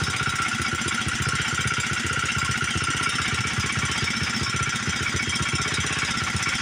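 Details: Old Montgomery Ward 32 riding tractor, small single-cylinder engine after ultrasonic carb cleaning, new plug and choke set: loping unevenly, firing pulses stumbling and skipping; runs rough and smokes badly, carb suspected to need replacing, rings possibly worn.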